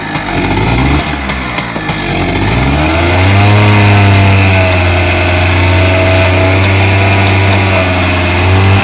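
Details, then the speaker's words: H100S motorcycle revving up to a steady, even high speed with no misfire. This is after a faulty coil was replaced with a new original one and the carburetor was adjusted, fixing the misfire on pickup. "বাইকের misfire নেই, বাইকের যে misfire করতেছিল আমরা coil লাগাইছিলাম, যেহেতু বাধা coil ছিল এর কারণে কিন্তু আমরা অরিজিনাল একটা নতুন কয়েল লাগিয়ে দিয়েছি।"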